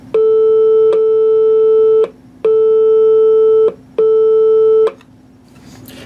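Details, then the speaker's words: 1940s Air King 78 rpm phonograph, amplifier driving a roughly 4-ohm speaker (2.9 ohms measured), before the leaky capacitors are replaced: three clean, steady mid-pitched tone bursts about a second long, no crackle, hum or buzz; normal amplifier and speaker output. "so that sounds pretty good, considering."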